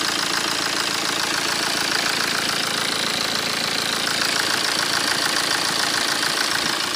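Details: 2008 BMW 118d E87 phase 2 diesel, 120,000 km, at idle: regular metallic ticking about twice a second over the diesel clatter; owner suspects the known series fault, timing chain noise or abnormal metal noise, unconfirmed.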